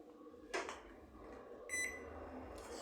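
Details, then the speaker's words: Microwave that made an annoying noise whenever a time was set, now running with a replacement transformer fitted: quiet, even hum with a beep and door clunk, no buzzing; the original transformer was shorted. "ver Lig aí não apresentou mais barulho viu então o defeito tá vendo transformador dizer conservado né ó com problema tá em curto"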